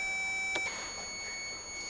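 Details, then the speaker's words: Tester on DF outboard power plug as master and accessory switches come on: brief click then steady high piercing tone with indicator light, signalling positive power present. "If you just heard when that came on and the light came on, that tells that that positive came on."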